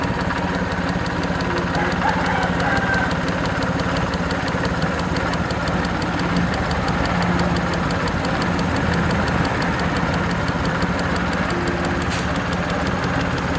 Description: Suzuki F6A EFi. Engine Ticking Noise from fuel injector.